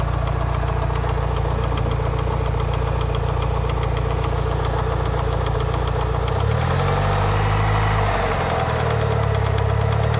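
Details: Lancer Evolution VI 4G63T idling during warm-up at 75-80°C oil temp; a light, regular top-end knock two to three taps per second, loudest near cylinder 1 and worse after a track day; lash adjusters cleaned and bled without improvement; cause unknown.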